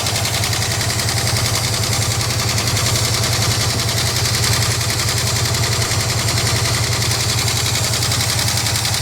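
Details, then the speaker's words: 1967 Lincoln Continental idling just after its first start in 29 years while building oil pressure; fast even rattling clatter of about three to four per second from the top end over a steady idle; cause unconfirmed. "she got some clatter huh I got the perfect fix for that where's the oil cap"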